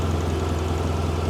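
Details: 2017 BMW R1200 RT boxer twin started after 9 months stored covered on a battery tender in dry Tucson climate, in neutral: steady, even low idle with smooth deep drone, no knocks or misses.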